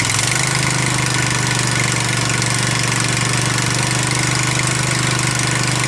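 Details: Husqvarna Z254 zero-turn mower engine after ignition coil replacement and setting coil air gap, old spark plug still in; it catches quickly and holds a steady, even drone with no misses or knocks, running properly.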